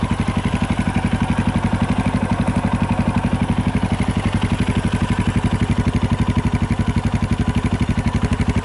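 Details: 2018 Yamaha Tricker XG250 single at idle, about four beats a second, with a light metallic clatter over each beat; slack cam chain from a loose cam chain tensioner, tensioner being adjusted (stock tensioner is automatic).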